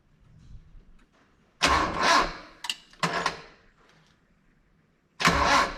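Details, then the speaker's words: Dodge D50 with G63B engine and Weber-type carb, restart after timing adjustment, choke open, fuel pressure unknown: two short sluggish cranking bursts, no start; old jump box suspected failing, battery charge unknown. "was well that's unfortunate once my jump box not working uh hmm any juice on just the battery this jump box is old"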